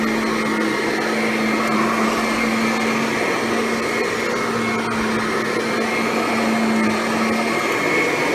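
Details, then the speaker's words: Kirby Ultimate G Diamond Edition bagged vacuum, first test run on carpet with new bag, self-propelled drive engaged: smooth constant motor hum, steady tone, no knocks, grinding or surges. Normal running. "Self-propelled drive is very quiet."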